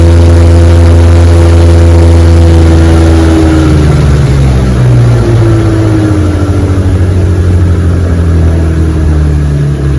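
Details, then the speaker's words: 1961 Evinrude 18 hp outboard after props fitted with new rubber hubs, chilly afternoon run on a 14 ft boat at about 22 mph: strong, steady drone with clean even firing, easing down smoothly from full throttle. Normal running, no slipping. "she runs beautiful man this motor screams 22 miles an hour on my 14 foot feathercraft take the first bed and watch her run"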